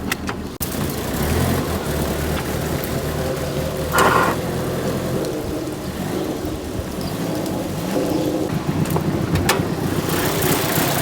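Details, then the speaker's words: Likely the SR20-powered Nissan 240SX S13, push-started after a starter failure: an uneven, stumbling misfiring idle with occasional pops. Something rattles at higher rpm, and the owner suspects internal engine failure. "Misfiring. I really have no idea what this could be. Starting to think it's internal engine failure though."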